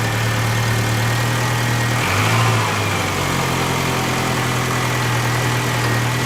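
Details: 2000 VW Cabrio (MKII) after swapping in a replacement ignition coil from a Jetta; the original coil was cracked and caused the no-start. The engine settles into a steady, even low idle with no misfire or stumble.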